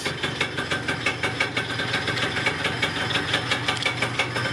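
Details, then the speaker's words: Yamaha Neo's 50 two-stroke 50cc scooter, first start in years after new two-stroke oil, spark plug, air filter, fuel and vacuum hoses and fuel filter check; light buzzy idle with quick, fairly even pulse and hissy exhaust, running cleanly. "all right anyway i'm gonna turn this off before i gas myself great news it starts it runs it sounds pretty good"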